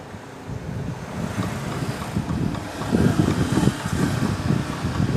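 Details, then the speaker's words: 2017 Chevrolet Prisma 1.0 front suspension heard inside the car over uneven ground: dull irregular low clunks and knocks from a sway bar link with play. "é o ruído que vai escutar dentro do carro em e essa folguinha eu nunca ceptivo certo olhando aí"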